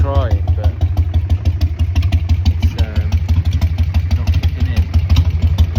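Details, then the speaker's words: 2001 Harley-Davidson Sportster 1200 Evo at idle: lumpy, uneven thumping about three beats a second with gaps, rear cylinder not firing; reseating the half-out plug wire didn't fix it; dead cylinder misfire. "This is only firing at one cylinder. The rear the rear cylinder is not firing. You can hear it"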